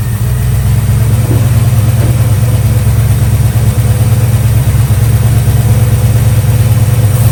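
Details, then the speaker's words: 1965 Chevy Nova wagon small-block with new Holley 450 carburetor, first start without choke after refilling the bowls: steady, even low idle with no stumbles or miss, not running rich; belt squeal heard when revved. "idling really smooth, and it doesn't smell rich at all."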